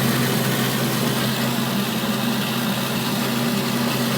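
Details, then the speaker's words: Breville BOV950BST Joule Smart Countertop Oven Air Fryer Pro, new unit whose door also did not close fully at setup: loud constant whirring hum with low buzzing drone, no pitch change, far louder than expected; owner says this noise cannot be normal, cause unclear. "So when you pull it out, it pulls it out halfway. How great is that? This noise cannot be normal. I want this in September."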